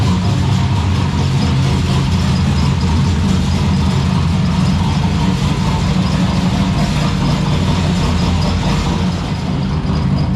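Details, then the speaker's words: Turbo V6 Ecotec drift car, first runs, loud lumpy idle with a constant buzzy metallic rattle on the exhaust beat; rattle stopped when the electric exhaust cutout was switched, so it is traced to the y-pipe or rear exhaust. "it sounds very rattly because there's um the exhaust somewhere is there's like a roost part somewhere so it's just rattling its head off so ignore that"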